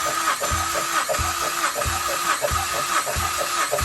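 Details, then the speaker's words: Ford Focus ST, compression test with all plugs out, both pedals held down to crank: starter churns with even pulses about twice a second; cylinder four reads 150 psi, later cylinder one reads zero, motor issue suspected. "if you hold those two pedals all the way down it'll turn the motor over so you can get a good reading"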